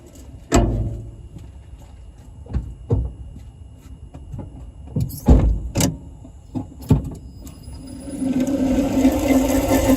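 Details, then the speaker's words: Renault Zoe EV, 71,000 on it, noisy traction motor bearings, recorded from under the car: clunks then a low rumbly, warbling hum as motor spins up; worn motor bearings. "okay right so hopefully you could hear that that real kind of um yeah low um sort of rumbly warbly kind of noise uh fairly typical"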